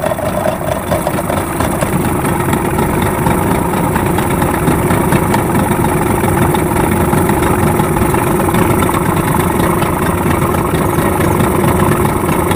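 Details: Yamaha 15 hp two-stroke outboard after repair of stuck piston rings and a clogged exhaust: an even, steady two-stroke burble with no misses or rattles. It idles smoothly and holds speed.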